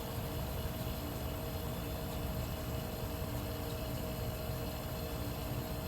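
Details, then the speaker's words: 1973 Westinghouse 25-pint heavy-duty dehumidifier, just acquired after sitting in a cabinet shop, running normally: low steady compressor hum with a faint even tone, no knocks or rattles; motor smooth and balanced. "it's uh very smooth operating yeah the motor's perfectly balanced nice and cool so far"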